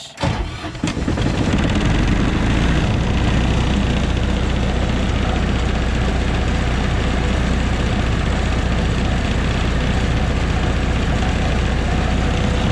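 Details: MEP802A military diesel generator after fuel/temperature gauge replacement, no preheat needed: brief cranking, then catches fast and settles into a deep, steady, even idle; normal cold start.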